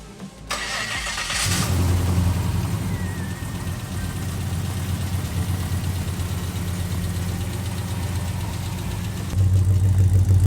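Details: After the first start of an LS V8 swapped into an HT Holden station wagon, the starter turns briefly and the engine catches and settles into a steady, lumpy, even idle with no misfire or knock. The fuel pump had been fitted backwards and was corrected; transmission cooler oil leaks were noted.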